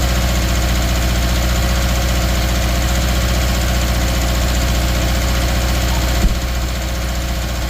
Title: 2013 subaru outback 2.5 misfire cylinder 3